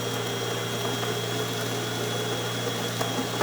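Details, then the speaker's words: DeLonghi Magnifica XS super-automatic espresso machine after full service, mechanical parts replaced and descaled, making a double test shot: grinder whirs, then a steady, even low pump hum with no knocks or rattles; normal grind and brew cycle. "which means that uh the grinder will go off burn the coffee into your machine you'll hear it you're Brewing it going"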